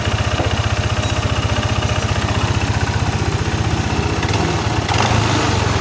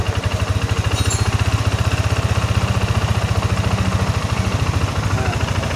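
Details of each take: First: First-generation Yamaha NMAX with an ISC sensor, idling untouched: a steady, fast, even putter that never settles, and the rear wheel spins by itself without throttle. High idle. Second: First-generation Yamaha NMAX with ISC sensor, complaint of high idle that drops slowly; after refitting the sensor and a hose workaround, steady even low putter at idle with quick regular pulse, no stumbling.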